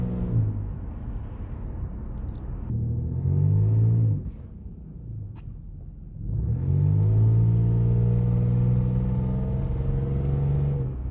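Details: 2006 Lexus GS300 dual exhaust, driving clips; deep, loud blatting drone that swells pulling away and eases between shifts; bad exhaust leak, later needing welding.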